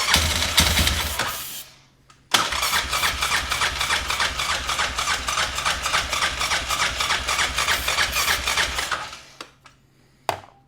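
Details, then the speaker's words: Yamaha Grizzly 600 ATV (about 1998–2001), oil possibly thinned with gas: fast rough cranking three to four beats a second with harsh rattly metallic clatter, no start; owner suspects starter hanging up. "it kind of sounds like the starter. It sounds like the starter is uh hanging up or something."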